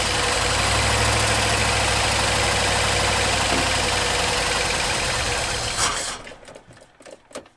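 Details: 1974 Ford F100 4x4 V8, long parked, restarted after wiring rigged up: even, steady idle with regular beat, no knocks or stumbles until switched off; running healthy.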